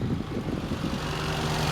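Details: Toyota Paseo warm at normal operating temperature after cam seal, oil pan and vacuum line work: steady fairly fast idle with constant drone, no dip or hunt; high idle consistent with a vacuum leak.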